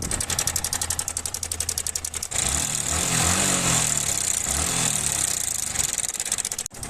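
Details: Yamaha MT-15 V1 single idles with a fast metallic tick on every beat, then revs with a harsh rattle underneath; abnormal engine noise appearing after the second service, cause not yet diagnosed.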